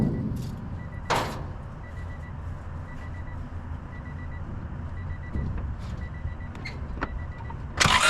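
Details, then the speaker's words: Honda Civic 1.6 L sat about 10 years, starting fluid/brake clean sprayed into intake; cranks, catches briefly then fades and won't keep running, fuel starvation not spark; owner suspects dead fuel pump, gummed tank, possible leaking injector; fires briefly then dies. "up so it'll fire up on a flammable Source uh so yeah pretty much the the fuel pump is dead"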